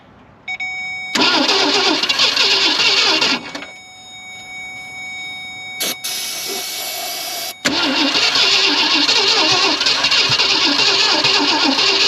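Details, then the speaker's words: 1965 Ford Thunderbird stored since 1986, after starter fluid and gas, on a weak jump box: starter churns steadily about 200 beats a minute in long pulls, engine never catches; owner suspects flooding or weak battery. "come on man come H maybe I flooded it I don't know I guess I might have to change batteries though my my jump box life was not very good"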